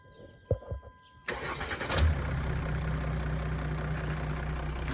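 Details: Jeep Grand Cherokee WH 3.0 CRD diesel after starter motor replacement: quiet, then a brief crank, quick catch and smooth even idle with no grinding or hesitation; normal start.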